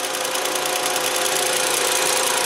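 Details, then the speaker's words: 2007 VW Jetta 2.5 20v at warm idle, about 680-690 rpm, coolant 75°C: fast light ticking from the canister purge valve pulsing, hose vibrates to the touch; such valves get damaged when the fuel tank is overfilled. "Tá show de bola esse barulhinho que vocês estão escutando bater ó é a válvulas inha do cânister aqui ó se a gente encosta na Mangueira a gente sente pulsar ela até vibra inclusive"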